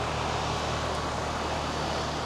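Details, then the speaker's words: 3-ton AC condenser unit on an off-grid solar system, after installing a Micro-Air EasyStart Flex soft starter: steady low hum under an even fan rush, no hard thump. Compressor starts smoothly and quietly, unlike the usual loud start. "Normally we hear that that loud sound when the compressor turns on. We did not hear that at all last night. It was much quieter."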